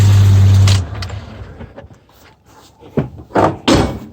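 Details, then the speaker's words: Jeep Grand Cherokee on a lift simulating climbing a rock: engine rumble, then three sharp bangs from the front as the broken sway bar end link pops out of place. "Did you hear that big bang? It was making that bang noise. But you see, this tie rod end pops out."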